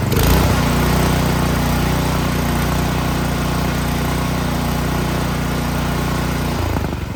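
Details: Troy-Bilt Storm 2660 26-inch snowblower after carburetor cleaning, fully choked, primer line disconnected, previously surging: small single-cylinder engine holds steady even speed with no hunting or surging, then drops off; running normally.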